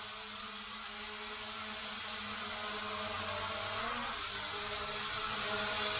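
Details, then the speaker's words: Hubsan H502E GPS quadcopter after refurbishment with new motors, indoor test: steady high whir rising slightly as motors spin up, no grinding or clicks; the ball bearings sound smooth. "seems pretty good on the new motors you can hear the ball bearing seems pretty smooth"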